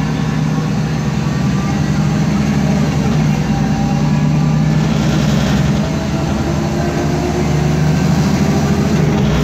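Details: 2010 MAN Lion's Classic CNG city bus, MAN 2876 LUH02 EEV 290 hp engine, ZF Ecomat 6HP504C gearbox, under way: heavy rumble with faint tonal whines; noisy differential suspected, not confirmed.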